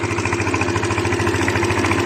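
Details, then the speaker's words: 2005 Elystar 125 scooter engine, 16,000 km, running on its own for sale: quick, perfectly even chugging beat with steady tone and no misses; healthy engine holding idle. "Voilà, moteur tournant, hein. Vous voyez, il tient le ralenti et tout, il tourne impeccable."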